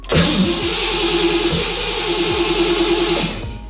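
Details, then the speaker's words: 1987 Mustang (McLaren), Terminator X system, intake tube off, two squirts of starter fluid that made no difference. Starter cranks steadily about three seconds, never fires; crank no-start, ignition timing unsynced. "nope it make any kind of difference nope didn't make no difference whatsoever"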